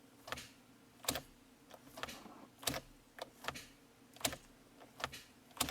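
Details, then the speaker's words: 2011 Hyundai Sonata, key turned to start: sharp isolated clicks from under the hood with each key turn, engine never cranks; no-crank no-start, suspected starter or starter relay, battery also to be checked. "so i hope you heard that clicking noise and this noise is coming from under the hood like i said and this noise can either come from the starter itself or the starter relay"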